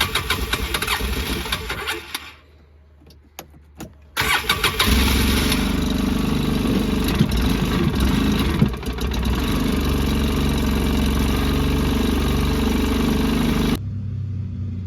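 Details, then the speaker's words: 2007 Polaris Ranger 700 6x6 that idles but dies on throttle, after a wiring connector was rejoined with butt connectors: sluggish cranking, a pause, then it catches and idles roughly. It is still slow to start, so problems remain. "everything's plugged back in let's try still a slow start here"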